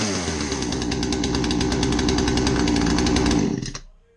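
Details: Poulan chainsaw, roughly 10 to 20 years old, after its carbon-plugged muffler was cleaned: crisp, even two-stroke buzz held at high revs three seconds, then a clean shutdown; runs normally.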